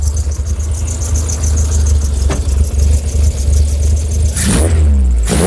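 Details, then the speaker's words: Skoda 120 16V (Rover K-series, CANEMS): steady deep drone with two clean throttle blips, no stumbling; runs a lot better than before, may need a tweak; fuel pump running low. "that's running better than it was a lot better than it was it might just need a bit of a tweak"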